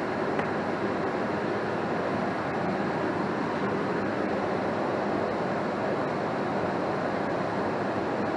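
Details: 80% single-stage Goodman natural gas furnace, fired, with an X13 blower motor drawing 1.93 amps. Smooth, constant blower air rush with no rattles or surging. Normal running.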